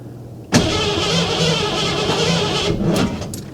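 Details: Shop truck just after a timing chain and intake job, smog parts not reinstalled, fuel rail primed: starter grinds about two seconds with uneven firing attempts, no start; owner suspects too much timing, popping on one or two cylinders.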